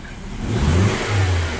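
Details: 2014 Nissan Sylphy with the check light on, code P0304, power loss and an idle that nearly stalls. Throttle snap during diagnosis rises rough and stumbling over a lumpy, vibrating idle. Cylinder 4 misfire from a leaking coil boot.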